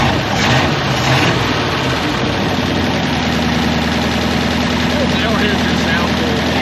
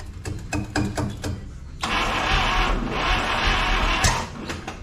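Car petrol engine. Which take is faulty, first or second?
second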